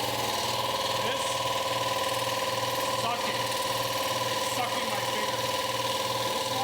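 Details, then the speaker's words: Harbor Freight 60-gallon two-stage air compressor running: a steady chug of about two beats a second with a puffing hiss as one stage blows air back out of the intake filter, so pressure never builds; the owner suspects a faulty valve in that cylinder head. "you hear it blowing so these two stages of the compressor are sucking in air from the air filter which you're supposed to do this one's blowing it out so the filt so basically i'm not gaining any air pressure"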